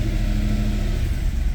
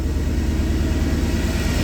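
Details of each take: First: 2010 Mercedes E63 AMG, M156 6.2 L V8: runs fine after restart, but held steady at about 1500 rpm it suddenly chuffs and stumbles unevenly, check engine light flashing; misfires traced to cylinders 1, 3 and 4 on passenger bank, cause not yet found. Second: Mercedes E63 AMG V8 that broke down with bank 1 misfires, restarted after codes were cleared and timing and cam lobes checked, in a New Hampshire winter: deep, steady V8 burble easing to a lower, even idle with no obvious stumble; normal idle.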